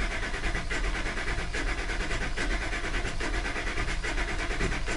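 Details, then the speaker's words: Ford F350 Crew Cab engine cranking during a relative compression test (key on, engine off, accelerator floored, neutral): uneven lope, about seventy beats a minute. The crank speeds up once per cycle where one cylinder gives no compression, pointing to low compression in that cylinder. "in other words there was one cylinders not giving a compression so that just spins faster during that time and we can tell definitely tell what the problem area is"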